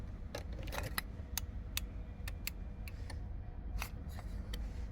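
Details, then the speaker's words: Audi Q7 towed in with no ignition and no start, like a dead battery; board relays were repaired elsewhere, ran about 6 months, then failed again with access/start authorization fault codes. Sharp isolated clicks on key insertion: the steering lock module clicks but doesn't work. Bypassed with an emulator. "key out key in yeah something is clicking that one there it's the one's clicking but it's not working at all"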